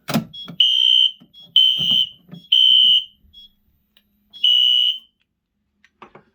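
Loud high-pitched electronic horn sounding in repeated bursts about a second long, roughly every second and a half; cause of activation unknown.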